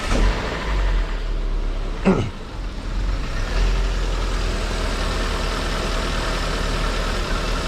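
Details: Car with a suspected misfire, around a spark plug change: steady, even idle with a low, smooth beat and one brief passing noise, no missing or stumbling; normal idle.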